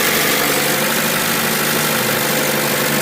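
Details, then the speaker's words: 2014 Chevy Cruze Ecotec, crank-no-start fixed by cleaning the poor-contact seven-pin coil pack plug with contact cleaner: steady, even idle with smooth hiss, no misfire or skipping; fault was the plug, not the coil pack. "i cleaned it with contact cleaner that seems to be what it was now we know what the issue is it's not the coil pack"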